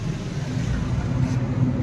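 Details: Suzuki Baleno revved after the bent silencer, which had been touching the body and causing vibration noise at idle, was moved about 1 inch away: smooth steady engine note with no rattle or buzz; noise gone.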